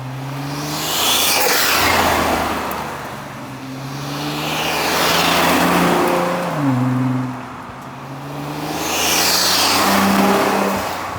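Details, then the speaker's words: Rebuilt crashed Nissan GT-R on off-the-shelf tune with large injectors: strong clean revs to about 3,500 rpm climbing and falling smoothly, no misfire, rattle or knock; healthy engine. "that sounds so good. That was like 3500. That wasn't even peak."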